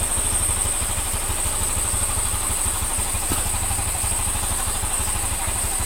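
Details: Honda Scoopy (Genio engine) after replacing the crankshaft bearing, connecting rod and valve seals and redoing the valve lapping: a smooth, even single-cylinder idle with steady low pulses and no knock. Normal idle.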